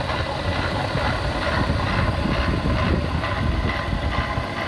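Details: BMW E36 with M52B25 engine: heavy lumpy rough idle with uneven beat and shake, clearly from the front of the engine; owner suspects VANOS or idler/tensioner, unconfirmed.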